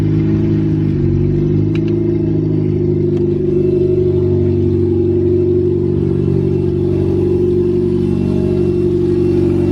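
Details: Nissan B13 Sentra, freshly rebuilt GA16DE on first start, OEM fuel pressure regulator fitted: even, steady four-cylinder hum with a smooth brief rise in revs and no knocks or ticks; healthy.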